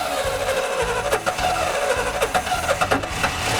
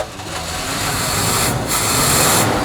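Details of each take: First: 1973 Chevy square body truck V8, sat 20 years, first start with rat-chewed, loose spark plug wires: catches and runs choppy and uneven with dropped pulses; sounds terrible, one cylinder not firing, several suspected misfiring. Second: 1973 Chevy square body truck V8, sat 20 years, just after about four spark plug wires were switched to correct the firing order: settles into a steadier, even idle with the misfire stumble gone; sounds a lot better, idling smoothly.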